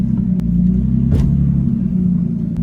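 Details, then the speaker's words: Nissan Skyline converted to rear-wheel drive after a broken front axle and wheel bearing: deep steady rumble and low drone rolling straight, binding drag in the driveline; sounds like the axle is sitting on something, cause unclear. "I made it like partway down the street like probably thirty seconds down the street and it like binds now it didn't do it up until this point so I'm gonna pull forward and show you guys sounds good you guys hear that like I don't think it's an axle I'm going straight it only does it"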